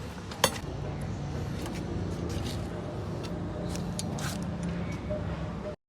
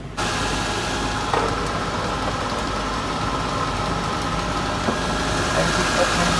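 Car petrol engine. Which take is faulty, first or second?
second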